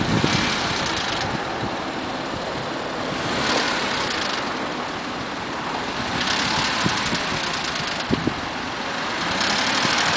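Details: Mazda 6 after removal of clogged catalytic converters and fitting of new MSDS headers: engine swelling through 1000–1500 rpm with an uneven light rattle and knock in that range; source not pinned down.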